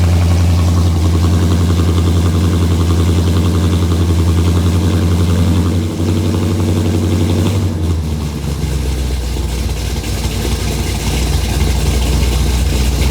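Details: 1968 Mustang Fastback, cammed 460 big block, Holley 750 carb, long-tube headers, Thrush mufflers, new fuel pump and filter: deep lumpy idle stays steady, then picks up cleanly on throttle without stumbling; running well.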